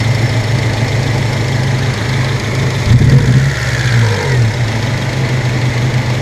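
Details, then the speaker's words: 1997 Honda Civic EX, D16Y8 VTEC, long unused, cylinder 2 misfire: uneven, stumbling idle with a brief surge; the damaged plug wire boot still misfires, and a foreign piece from a spark plug socket was found inside it. "let's see what happens now yeah it's still running like [ __ ] cuz now that boot's all [ __ ] up"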